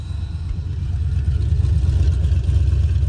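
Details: Nissan 300ZX with LS V8 swap, track car, tune loaded, after closing an open vacuum line that kept the IAC from holding idle: deep steady rumble, no stumbling or hunting, now keeps running; normal idle.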